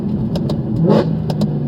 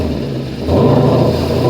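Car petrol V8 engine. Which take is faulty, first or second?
second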